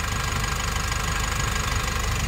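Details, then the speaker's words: Nissan NV350 diesel after replacing the injector washers and one fuel injector. The knocking is gone and there is no check engine light. Even diesel clatter at idle with a steady rhythm and no misses or surging. Normal idle. "ngayon wala na siya mga boss alr so na-solve na natin yung problema ng NV350"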